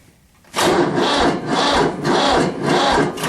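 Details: Tractor, cold start at about 30–32°F: slow, labouring crank with about two heavy compression strokes a second and no firing; battery too weak in the cold, booster pack needed.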